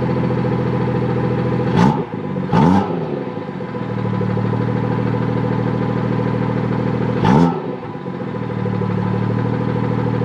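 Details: BMW F30 340i in sport mode, which opens the exhaust valve, after the rattling valve got a new clip: settled idle with a few sharp blips that rise and fall cleanly and no metallic flap rattle; repair holds.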